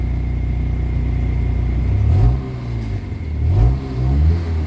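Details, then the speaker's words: Kia Pride after XADO engine treatment for white smoke, low power and vibration, engine still being treated; revs up and settles twice, clean even rise and fall, no shaking: running noticeably smoother, revving differently than before (was surging near 2000 rpm). "medyo smooth na yung ano guys yung under ng makina yan oh tsaka yyung Wild ng engine medyo iba na iba na yung wild ng engine guys"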